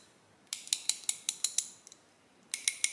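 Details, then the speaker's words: 35-year-old Snap-On 3/8 ratchet, serviced and greased several times, used for comparison with a new bone-dry ICON swivel head. It gives short runs of crisp, evenly spaced clicks, about five a second, that sound soft rather than dry metal on metal: normal, greased ratchet clicking. "we compare this to a about a 35 year old snap-on i bought new and it's been taken apart and greased and serviced a couple of times in those 35 years but you can hear it just sounds like it's not metal on metal sounds like there's a little bit of oil or grease in there"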